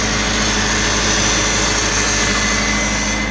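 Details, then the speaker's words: 40-year-old Ford Capri turbo back after 15 months off the road: thin, steady high whine over a smooth idle from the power steering pump, noisy because of a kink in its pipe. "Just remember this noisy power steering pump is because there's a kink here in the pipe."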